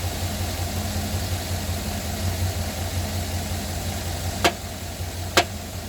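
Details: Silverado 2009 at cold start and cold idle: a low, even rumble with a faint knock at startup; the cause of the engine knock is suspected but not confirmed.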